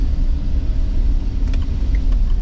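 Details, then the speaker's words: Chevy Express van on a test drive after exhaust manifold replacement: smooth low road rumble with no ticking or puffing leak; the exhaust is quiet and sealed, quiet enough to talk over, unlike how loud it was before. "The fact that I can just sit here and talk without like yelling over myself it just goes to show you how loud that damn thing was. But so far it sounds great."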